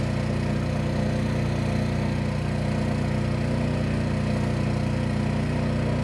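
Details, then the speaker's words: New Champion 11000 W tri-fuel inverter generator, sound check at 23 ft, at 25%, 50% and just over 75% load; smooth, steady drone with no misses or rattles, running normally. "Okay, a sound check at 23 ft and 25% load. And now a 50% load and a little over 75% load."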